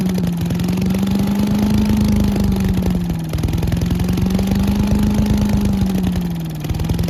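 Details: Giant Vac leaf blower with a 1982 8 hp Briggs engine, stored outside, running after water was cleaned out of it. A loud, steady buzz holding speed with only a slight slow waver and no misfires or sputtering; it runs cleanly.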